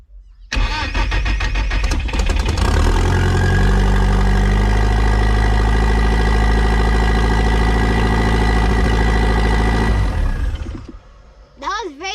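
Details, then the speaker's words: Project car nicknamed Judas: engine catches and holds a steady, too-fast idle that never settles; owner suspects a vacuum leak; gearbox still dry. "okay so bad we we're running italian very high so i'm suspecting a vacuum lick of some sort"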